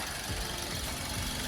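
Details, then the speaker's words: 2006 Suzuki Swift automatic, used-car inspection, engine running: a steady, even hum at idle with no knocks or stumbles breaking the rhythm; an even rhythm means a normal, healthy idle. "kita lebih mendengarkan suaranya kalau iramanya rata kayak gini itu berarti normal ya"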